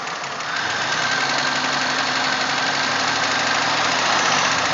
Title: 97 Pontiac GTP weird knocking noise